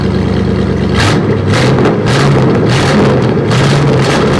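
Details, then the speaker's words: Abandoned 1968 Buick LeSabre, Buick V8 with a known leaking head gasket (coolant drips sizzling on the manifold), warming to about 190°. Deep, steady idle picks up cleanly on quick throttle blips and settles back smoothly. Runs and revs well. "let me tell you it's sounded pretty damn good this is all Buick power I like it I like the way she sounds"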